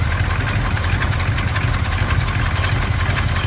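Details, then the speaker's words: 1978 Ford F-150 with 400M V8 and new Weiand Action+ intake, carb freshly tuned: steady low idle with faint irregular stumble about once a second, a slight misfire heard at the driver's side tailpipe; plugs, wires, cap and rotor planned. "It does seem like it has a little mist. You can definitely hear it on the driver's side tailpipe."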